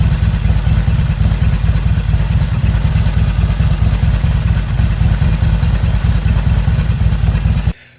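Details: Harley-Davidson XR1200 V-twin idle after primary chain tensioner replaced and chain set to half-inch slack: even idle thump with normal light engine rattle, primary grinding gone.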